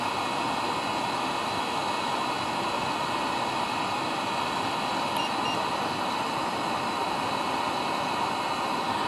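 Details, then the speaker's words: Webasto diesel heater from a Peugeot 806 HDi, used as central-heating boiler in a bus-camper conversion, restarted after cleaning the greasy heat body and glow plug: steady even roar with a fine airy hiss, no pulsing, burning cleanly, warming up. "et là on a remis en route et fait pas le même bruit et l'ail là il envoie du steak là ils envoient ouais là ça commence à bien bien bien être chaud"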